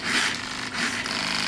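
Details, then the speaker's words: ISDT ESC70 brushless motor in a rock-crawler truck sitting still after setup: the motor twitches and chatters in uneven jerks, caused by the active drag brake with nothing to hold; it can be turned down to reduce jitter. "now do you hear that that jerking up the motor i'ma tell you what this is this is the active drag break and what i've noticed if it's nothing to hold you get the jittering sensation"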